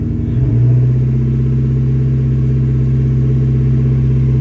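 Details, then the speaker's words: Mustang with new TPS, IACV and MAF and a replaced O2 sensor, idling about 1300–1500 rpm; after a short throttle blip the deep exhaust note hangs at raised revs a couple of seconds before settling to a too-high idle: rev hang, cause unclear. "i've been off the pedal the whole time i just gave it a little gas holds for a couple seconds goes back to this idle which is as you can see definitely not the desired idle"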